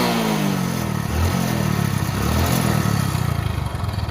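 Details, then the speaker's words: Hero Passion Pro motorcycle before full engine rebuild, started on self-starter, smoking: loud uneven clattering over rough, lumpy idle rising with revs; worn engine, suspected. "బండి engine sound వినండి main important engine sound [సంగీతం] అనేది మొత్తం అయితే ఈ రకంగా అయితే sound అయితే వస్తుందన్నమాట ఇంజిన్ సౌండ్"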